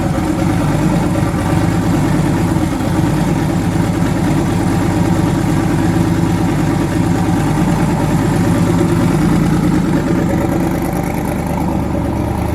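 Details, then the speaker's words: Twin-turbo V8 truck, now running on eight cylinders instead of seven after an earlier dead cylinder was fixed (rockers suspected): steady idle with consistent even rumble and no skipped beats; normal idle. "okay now let's race now we're on eight cylinders instead of seven"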